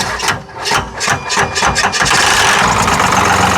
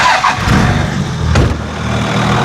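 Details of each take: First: 1995 Cummins 12-valve P-pump dually diesel, long sat in the woods, cold start with starting fluid: uneven cranking thumps, then catches into a rough, knocky clatter; owner says the knock is normal, not confirmed. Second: 1995 Dodge 12-valve Cummins P-pump diesel dually, long sat in woods, started after charging: settles after a couple of brief blips into a steady, even, clatter-free idle, "purring like a kitten"; healthy engine.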